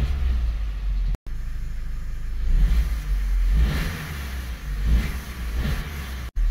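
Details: 2009 Opel/Vauxhall Astra H 1.4 16V 90PS petrol after throttle body cleaning: engine catches and settles, then two or three clean smooth rev rises and falls, no knocks or misfire.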